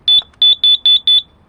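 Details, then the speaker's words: Carbon monoxide alarm tested outdoors in a garden: five sharp high-pitched beeps in quick succession, then a pause; the alarm is sounding, though whether it is faulty or detecting CO is unclear. "That means my garden and my house is carbon monoxide gasy."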